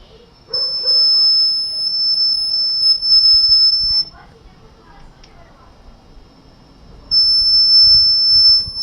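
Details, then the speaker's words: Guitar tube amplifier using a 230V mains halogen-lamp transformer as push-pull output transformer, at high volume: loud piercing steady high whistle cutting in and out; cured by grounding the transformer case to the chassis. "el silbido de este de consumo de volumen la parte que silva ya mucho volumen y fijar lo que he hecho para solucionarlo se conecta a una toma de tierra a la carcasa de transformador al chasis"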